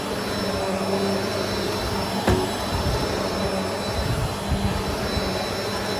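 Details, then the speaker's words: Trash-find Bissell PowerForce Helix Turbo vacuum running at nozzle height setting 3: steady airy whine with a faint rough, gritty edge and one brief bump. Motor sounds a little scratchy, as expected; not junk but near failure. "So you'll hear it. The motor sounds a little scratchy. Nothing that I did not expect."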